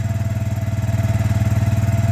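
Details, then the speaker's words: 2004 Suzuki Eiger 400 4x4 ATV, one year after a top-end rebuild, cold start on about 3/4 choke: steady, even single-cylinder thump at fast idle with no knocks or rattles; healthy and warming up fine. "right now I'm about 3/4 choke I guess not quite full we'll let it warm up a little bit"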